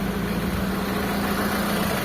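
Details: Mitsubishi Lancer 4G13 carbureted engine after fixing hard starting and a draining fuel filter, idle raised slightly: steady, even hum and low drone without misses or surging, a normal healthy idle with the filter refilling.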